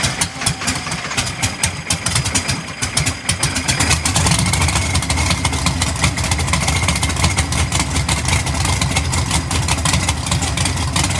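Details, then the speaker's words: GTO V8 being tuned: a lumpy, slow idle that wavers, then picks up and steadies as the throttle blade on the throttle body is opened for more air. Idle is set too low and needs raising. "all right so now i'm actually getting that rpm to go up a little bit more on the idle speed we definitely need to add some more to it"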